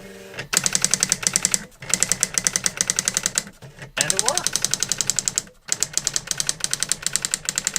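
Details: New-in-box 1985 Epson DX-10 printer printing a Windows 2000 generic text-only test page via the printer port: fast, crisp clattering strikes in bursts with short pauses between lines, even rhythm; printed perfectly, normal printing.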